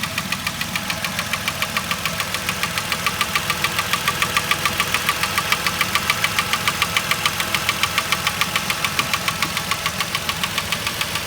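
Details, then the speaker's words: 2010 Vauxhall Corsa 1.0 Ecoflex replacement engine revved: sharp, regular tapping at about 207 per minute that sounds like engine knock but comes from worn inlet manifold swirl flaps. "can you can you hear that tapping I obviously can't hear it myself because I'm still recording this at the moment when I get it on the computer I'm sure I'll be able to hear it but that is a distinct engine tap"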